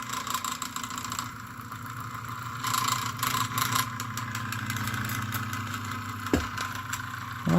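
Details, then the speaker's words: Old fan motor just cleaned of degraded old grease and regreased: steady low hum with a faint higher whine, smooth and even, getting quieter as it runs; running normally. "hey look at that it likes the new grease as it runs it gets more quieter but it does need"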